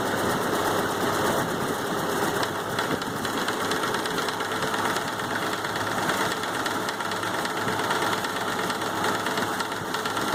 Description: Troubleshooting an engine knock in a Model A or T Ford.